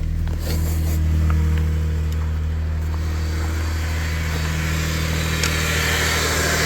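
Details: 2001 Subaru Outback after replacing the serpentine belt, idler pulley and tensioner; charging rose from 10.7 V to 14.4 V. A steady, smooth idle hum with no squeal or chirp from the belt area. Normal idle.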